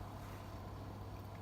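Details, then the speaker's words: Bosch WVH30540 washer-dryer on spin-and-drain at 1500 rpm, door locked: low steady hum, no knocks or scraping, as the drum motor self-tests at cycle start; normal. "Все, заблокировался замок. Вот, тестирование идет двигателя, это нормально."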